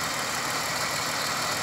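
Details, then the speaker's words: 2000 Pontiac Grand Prix GTP supercharged engine, silver parts car: steady, even idle hum with no knocking or ticking; sounds much better than the owner's other GTP, which has rod knock. "this one definitely sounds a lot better than my other one"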